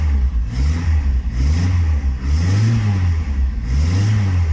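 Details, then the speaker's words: Stratus engine after new spark plugs and alternator bolt fix to cure a belt squeal: revs blip up and settle back smoothly, no squeal, knock or rattle; healthy engine. "con este lindo sonido de solamente el motor nos despedimos de este vídeo"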